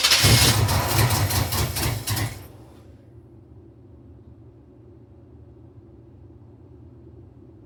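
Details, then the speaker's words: 1986 Camaro Z28 350 small-block V8 project car: starter cranks about two seconds without catching; fuel pump pumping and choke working but slightly stuck, braided fuel line leaking and needing replacement. "All right. It's definitely wanting to start up. Just this needs a new fuel line here."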